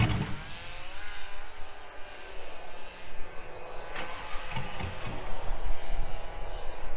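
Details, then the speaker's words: 2000 GMC Sierra 5.3 V8 with Texas Speed Stage 3 truck cam (.550/.550, 216/220, 112 LSA) on factory tune: rough, lumpy cranking and uneven idle sags and nearly dies; won't stay running in gear without heavy throttle. Owner's own tune fixes it. "Okay, so with the factory tune, I can't put it in gear at all without having to mash the gas to keep it revved up enough to stay running."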